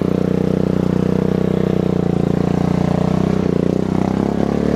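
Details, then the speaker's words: Murray tractor, recently rebuilt after its intake was submerged (head gasket replaced, valvetrain redone), idling: steady low drone with uneven clatter and rattle; something broke inside the transmission, locker still intact. "well this transmission is blown they completely block oh man"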